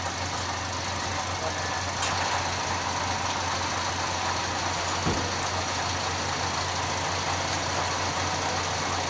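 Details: Toyota Vios gen 4 petrol engine idles with a steady low hum under a loud hissy whir and faint clicks; a seized small-pulley bearing was found with the belt off, but noise remained after refitting.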